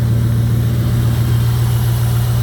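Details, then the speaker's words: 2002 Jeep Grand Cherokee 4.7 HO V8 with coil melting/misfire problem, just started after clearing codes: smooth, even low idle, steady deep drone, no misses; all eight firing, though owner says coil 3 drops out after a few minutes. "Yeah, she's running on all 8."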